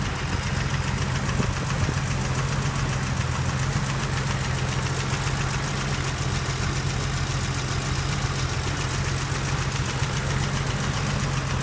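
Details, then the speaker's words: 1983 BMW 635CSI straight-six (manual transmission), idle, new plug leads, fan replaced a couple of years ago; smooth, steady low idle with no hunting, dips or misses. Healthy tick-over. "you can uh hear that the engine's ticking over nicely there's no hunting no idling issues"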